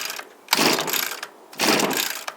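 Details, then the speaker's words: Echo SRM230 two-stroke string trimmer, hard to start and last time starting but not running properly: two pull-start yanks a second apart, each a raspy rattling burst that dies at once, never catching; cause not confirmed. "of our Trail guys really hates these things because they're very hard for him to start and I'm having the same trouble today"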